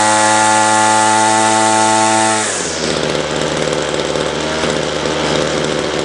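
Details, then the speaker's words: Ryobi two-stroke line trimmer after correcting a wrong, over-oiled fuel mix: it screams at steady high revs, then drops to a smooth, even lower speed. It revs out cleanly but idles slightly high. Normal running. "all righty so that sounds pretty good"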